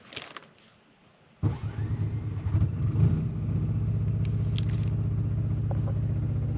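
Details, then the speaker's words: Onan generator in an Arctic Fox 990 truck camper, heard from inside the camper while boondocking: it cranks, catches and settles into a loud droning rumble at about 70–75 dB that makes things inside vibrate. "all right this is the sound of our generator running i don't know if you can pick it up but things in here are actually vibrating this baby is loud"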